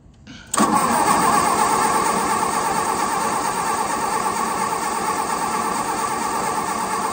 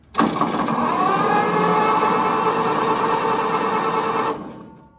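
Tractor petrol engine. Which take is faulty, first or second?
first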